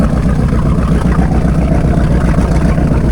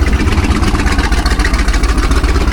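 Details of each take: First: 1978 Hawaiian 21 ft jet boat with a Ford 460 big-block, not run in years, open exhaust without mufflers, at idle: deep, steady, even rumble, seemingly on all eight, though it runs poorly with the choke off. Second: 1978 jet boat Ford 460 big-block: low, lumpy idle with a skipped beat, one cylinder suspected not firing, heavy crankcase pressure escaping; compression check to start with number seven, intake manifold gasket issue suspected.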